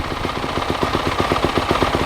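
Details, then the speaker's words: Lazy 250 single-cylinder dirt bike at idle after choke start, before heat cycle: fast, choppy idle about twelve pulses a second with loud, raw exhaust; bike needs an exhaust tip and has trouble starting without choke. "It's loud. We gotta get a exhaust tip too."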